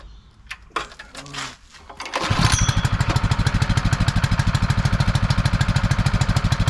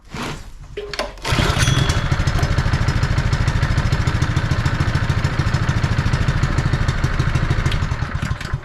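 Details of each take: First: Honda firefighting pump, sat unused over 2 years, primed with valves shut: small engine pulses fast and steady with uneven pumping roughness as the pump loses prime, cavitating from an air leak at the suction draw. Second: Honda firefighting pump single-cylinder engine, sat unused over 2 years, with air filter assembly refitted: catches after a couple of cranks and holds a steady, even putter, no misses; owner suspects a loose plug boot arcing caused the earlier poor running.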